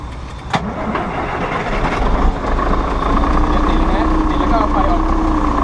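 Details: Diesel tractor-unit truck with two dead 150 Ah batteries, jump-started with a portable jump starter. It cranks briefly, catches and settles into a steady low idle rumble with a faint tone. Normal diesel start and idle.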